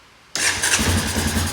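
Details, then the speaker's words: 2001 Honda Foreman 450 ES ATV, 3,380 miles, sat for a long time, full choke, start on button: catches instantly and settles into quick steady idle; normal start. "Oh, well, it's a Honda, isn't it? I knew it would run. These Hondas are pretty tough. That sounds good."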